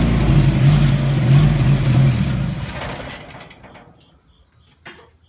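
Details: Chevrolet S10 with uneven, lumpy idle pulsing about three or four beats a second before the engine dies; owner reports rough idle and hesitation, cause not yet found.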